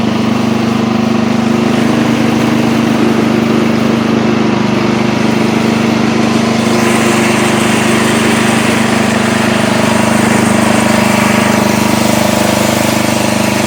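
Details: Old Montgomery Ward Power Kraft riding mower cutting with blade engaged, air filter off: steady, even single-cylinder drone, no misses or surging, after earlier stutters while driving; runs and mows fine, healthy under load.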